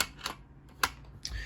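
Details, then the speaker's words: Stanley Secure Code garage door remote model 5909 (Innovative Whistler logo): three sharp plastic clicks about half a second apart when shaken, the battery loose in its clip. "Except for the way the battery's going. As you can hear, this one rattles. That's the battery clip. It's kind of a pain in the ass."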